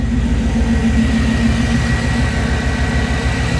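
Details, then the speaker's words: Chevy C10 with LS swap and Jackpot 2 fuel injection, first start, ECU still learning toward operating temperature, new exhaust: steady, even V8 idle, smooth low rumble, no knocks or ticks; engine healthy. "Motor sounds pretty healthy. Let's see if we're leaking a bunch of oil."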